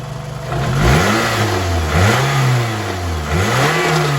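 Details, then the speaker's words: Car back running: revs blip up and down sounding slightly uneven and lumpy rather than crisp. Mild rough running; owner briefly suspected a misfire, then not, and plans to run Seafoam through it. "Sorry. I feel like it's running a little bit rough. I'm gonna run some seafoam through it, see if that fixes it."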